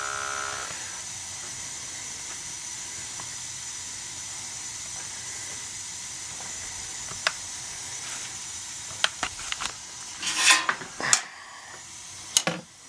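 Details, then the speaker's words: Gas boiler with high CO after its non-adjustable gas valve was replaced and turned down, bringing CO to 12 ppm: soft, steady gas hiss with no roar, flutter or popping, then a few light clicks; burner running clean, a clearly audible improvement. "draft wow what a difference guy what a difference you could hear the difference in the gas valve"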